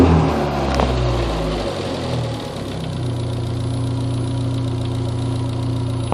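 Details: Second-generation Neon engine: steady low idle with a loose, uneven knocking underneath; strange engine noise, owner unsure of the source.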